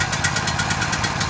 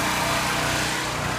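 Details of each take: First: Powerhorse generator small engine after carburetor replacement, first run in over a year, choke on: short, choppy, uneven putter about ten pulses a second, labored and smoking hard as if struggling. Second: Powerhorse generator unused for over a year, just after a carburetor replacement, warming up once the choke is off: even, buzzy small-engine drone, revving at first before it stabilizes, and smoking hard at the start; it now runs smoothly.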